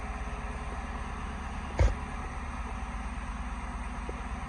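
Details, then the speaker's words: Ford F100 on swapped Crown Victoria frame and V8 drivetrain, just after first start following wiring: steady low V8 idle with even smooth pulse, one brief clatter, slight throttle given; runs cleanly. "Sounds good too. Sounds pretty good. A little bit of gas. Sounds pretty good."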